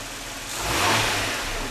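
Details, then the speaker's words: 1995-1999 Nissan Maxima V6, warmed up, after clearing clogged EGR tube for code P0400: idle then one quick throttle blip rising and settling cleanly; EGR diaphragm felt moving, and pushing it up stalls the engine, so EGR works. "what I'm going to do is I'm going to put my finger up under the diaphragm and I'm going to blip the throttle the diaphragm should come up it should feel movement"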